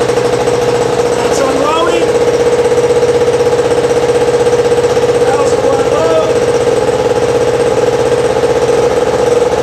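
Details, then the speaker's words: 1000W two-stroke hardware-store generator, manual choke, already run that day: steady buzzing drone at constant pitch, running unloaded, no misses; sounds healthy. "going to start this thing up and I'm going to run my time out you get to hear what it sounds like and uh it's not a bad little tool to have"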